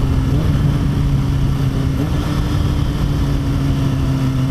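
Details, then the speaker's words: Motorcycle ridden shortly after its first tune-up, recorded by a mic inside the helmet: steady even engine drone at constant pitch while cruising, no misses or knocks; sounds and feels smoother than before the tune-up. "you can even hear it the bike just sounds better"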